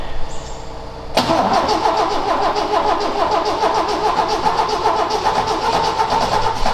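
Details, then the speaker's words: Ford XA Falcon parked outside for years, unknown history, will-it-start attempt: catches after about a second, then uneven stumbling idle sputtering to keep running; suspected nearly out of fuel. "this sound like it's nearly out fuel again"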